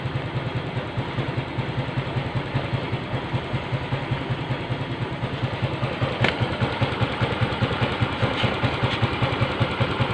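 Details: Yamaha Mio M3 125 scooter that was hard to start and wouldn't idle, with MIL code 28; after the EOT sensor was fitted the code cleared and it idles with an even, steady thumping, no stumbles or misses.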